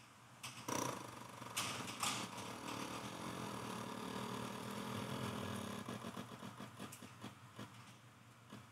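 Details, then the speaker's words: 1996 Suzuki Intruder 1400 with two carburetors, long unused, key on with starter held and no clutch or throttle: relay under seat clicks, then fuel pump ticks fast and slows as carb bowls fill; normal priming. "what you're actually hearing is the fuel pump fuel pump fuel pump relay it's turning on that's under the seat and you're hearing the pump fill the carburetor Bowl"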